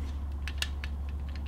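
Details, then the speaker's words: Hoyt Alpha Elite compound bow: light plastic clicks and rattles each time the bow is handled, coming from a loose plastic spacer inside the limb pocket. "just been handling these bows a bit and I'm detected of a bit of a rattle you uh listen if you can hear that and trying to find out what it was definitely hear a noise it uh it's coming from these limb Pockets these are loose"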